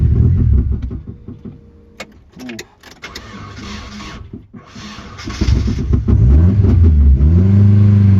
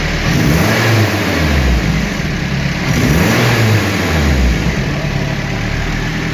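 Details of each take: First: Turbo Nissan 240SX with homemade shop-vac intake; cranks, catches and revs, then sags and hunts, dying whenever revs drop. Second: Turbo 240SX with a prototype intake placing the MAF farther from the turbo, at the end of an extended stock intake: revs up and settles twice, smooth and even, no stumble or cut-out. Now running properly.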